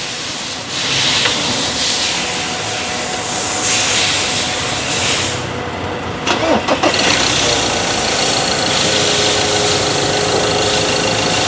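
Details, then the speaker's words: Ford Ranger 2.2 diesel after correcting off-spec injector coil values for the cylinder 3 shaking fault: cranks, catches quickly, steady idle and clean revs with no shake; much smoother than before. "พอโอ้นิ่งกว่าเดิมนิ่งกว่าเดิวเยอะเลยอ่าคันนี้ค่าอยค่าไฟเเพี้ยนนะครับปรับให้เรียบร้อยแล้วนะ"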